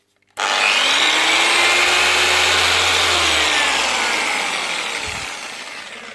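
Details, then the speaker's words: DAS6 rotary polisher, a budget machine that has seen a lot of work, spins up with a harsh grinding roar over its motor tone; the pad is flapping loose and the motor bearings have failed, to be replaced along with the pad. "she's working running spinning just needs a b and as well that's bundles flapping all over the place so the bearings are gone"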